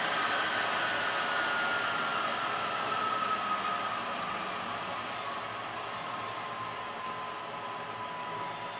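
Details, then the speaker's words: Filthy, cockroach-infested PS4 Pro after cleaning, loud under game load though nearly silent at idle; steady loud roar with a thin whistle slowly sinking in pitch; owner suspects the fan needs replacing and plans a new fan and thermal paste. "However, it literally sounds like a jet engine. I had heard that uh said about these things, but I didn't think it'd be this loud. I'm pretty sure the fan needs to be replaced."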